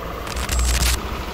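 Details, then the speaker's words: Yamaha NMAX scooter after fixing the engine ticking (lagitik): warm engine idling quietly at low even hum, traction control off, no ticking. "mainit na yung makina off lang natin yung traction yon y yan tahimik na aan so four Bar and then tahimik na yung makina niya"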